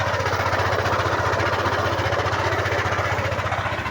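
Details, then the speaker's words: Yamaha NMAX at 79,613 km, cold idle before repair: rough, gravelly grinding chatter like stones being ground, about three times a second; owner says it worsens when warm, suspects crankshaft side/center bearing. "parang may ginigiling na bato o graba sa loob. Ganyan ang tunog niya pag malamig, pero pag uminit na yan, gumagrabe at lumalala yung tunog niyan."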